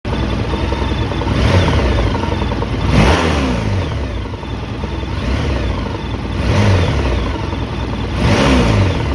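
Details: 2011 Honda VFR1200F (7th gen) V4 motorcycle, hot engine, throttle blipped several times: faint clattering knock under the revs, occurring only when hot; cause unknown, owner asks for ideas. Engine knock when hot.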